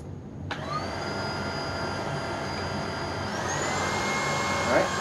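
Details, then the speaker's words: Tineco Pure One vacuum after disassembly and cleaning, inner filter dried and rebuilt, running on high while picking up dog food, rice and oats from carpet: steady whine rising in pitch, strong unrestricted airflow; airflow restored, normal. "so yes i believe we have our airflow it has returned"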